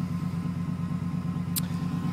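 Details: 1994 GMC Sierra 350 TBI V8, about 240,000 km, cold start near -8, new plugs, wires, rotor, cap, timing set, original catalytic converter, low idle oil pressure: lumpy, uneven, wavering idle; rough stumble, owner suspects vacuum leak or catalytic converter.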